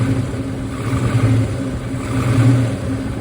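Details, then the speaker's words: 1970 Plymouth Hemi 'Cuda V8, cold-blooded and running on seven cylinders: revving with a loping, uneven beat that stutters now and then, an intermittent misfire under rev, still present after swapping a spark plug wire; later idle mixture adjustment helped. "it sounds like it's still coming and going you can hear that stutter when it RS"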